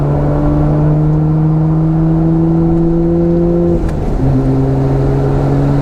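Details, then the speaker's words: HKS-built twin-turbo car (HKS 230 turbos, stock bottom end, dual blow-off valves) after its worn-out turbos were replaced. Revving with a rising whir, then a brief dip and tone shift as the second turbo comes in; normal sequential turbo transition, restored. "here I can hear these turbos going back and forth they did it before but it's just it's nice to hear that again"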